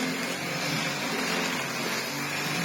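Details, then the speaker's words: Gtech AirRam Mk2 cordless vacuum, one of three broken units, filthy and covered in hair: steady, even high-pitched motor hiss with no surging, rattles or scraping; works fine, normal running. "one yeah that one works absolutely fine it's just filthy and covered in hair"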